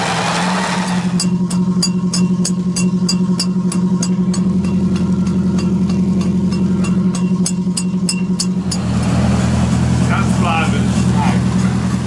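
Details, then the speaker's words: Boat with a big turbocharged V8 two-stroke diesel: sharp, regular ticking about four times a second over the low drone while running. Definitely an exhaust leak; the owner plans to take the turbos off and have them resealed. "see your Snivy definitely an exhaust leak then yeah crank it again"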